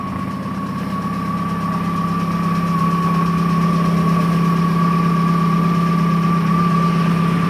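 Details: Volkswagen Jetta TDI diesel cold start at 10 degrees after sitting three days in sub-zero weather; cold idle with a steady whistle and fast puffing chuff, a bad exhaust leak near the turbo.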